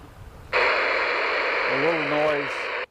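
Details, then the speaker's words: Handheld marine VHF radio on channel 16 at switch-on: loud steady hiss bursts in then cuts off abruptly; squelch set too open and should be turned down until the screeching disappears. "this which is the squelch that's the sensitivity to the radio and you'll need to adjust that if you hear that screeching noise once you've turned it down to where it disappears then your radio is almost set to go"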